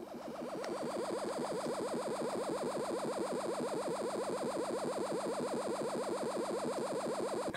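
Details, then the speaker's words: Darren Yates 1W "Champ" transistor amplifier with no input and the volume fully up: a mid-pitched warbling tone pulsing quickly and evenly like a heartbeat monitor; low-level oscillation, suspected to come from the switching power supply. "don't know if you guys can hear it over that buzz but there is a low level oscillation there somewhere"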